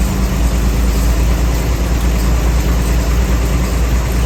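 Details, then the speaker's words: Chevy 250 straight six after EGR tube delete and charcoal canister removal, smog pump long deleted, started and idled before driving: steady, low, even idle with no misses, ticks or knocks; normal idle. "I'm about to take off, so I'm just gonna start it up, see how it runs, let it idle out here for a little bit, and then I'll be driving it for the rest of the day."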